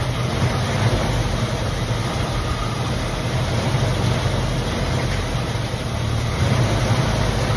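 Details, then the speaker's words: 1965/66 Mustang 289 V8 barn car, first start after sitting for years, hot 95° day: deep, steady even idle, no knocks or misses; runs well despite coolant leak at thermostat housing. "Running really good though. Pretty snappy for a 289."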